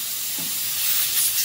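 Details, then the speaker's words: 1999 Nissan Maxima 3.0 L fuel injector on a bench test rail, fuel pressure raised toward 40 psi: constant thin hiss of fuel escaping under pressure with no mechanical rhythm; that injector is leaking and not sealing shut. "i can actually hear it coming out of that injector there"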